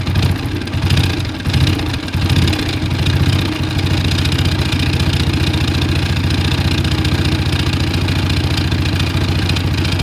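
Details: TVS Apache RTR 160 engine settling into idle with an uneven rhythmic knock riding on the beat; the oil has been drained and the magneto-side cover is to be opened to find the abnormal noise.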